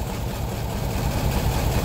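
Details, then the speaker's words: Loud, lumpy idle with an uneven stumbling beat and random misfire codes after overheating; a coolant combustion-gas test turned green immediately, showing a blown head gasket. "you can hear running bad um it could be one of many things why it's running bad it could be injectors could be spark plugs could be whatever but it's very loud"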